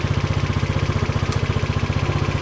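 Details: SYM Allo 125 moped bought with electrical faults, started after charging the battery to about 12.5 V: steady even putter at roughly twelve beats a second, no knocks or misses, a clean normal idle.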